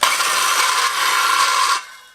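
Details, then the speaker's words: Skilsaw model 574 circular saw running unloaded before disassembly and regreasing: a harsh, raspy grind over its whine, from a dry gearbox. "pretty noisy. Yeah, so as you can hear, a fair bit of grinding there."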